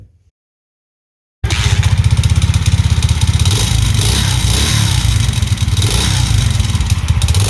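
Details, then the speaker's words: Alpha Delta Vento 110cc moped after a knocking suspected-fake piston was swapped for a supposedly original one: after a quiet start it fires into an even, steady patter of about four beats a second with no knock, running clean and healthy. "пропасть вообще даже звук не похож вот до этого какой стук был он не похож что это поршень стучит"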